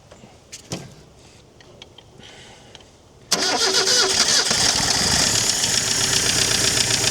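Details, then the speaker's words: Chrysler Galant 1600 wagon, first start after sitting about 30 years: cranks, catches and runs rough and loud with a steady rapid knock, like an old diesel; blowby noted, and the rattle may be a loose tappet or a knock. "Sounds like an old diesel, doesn't it? Knocking."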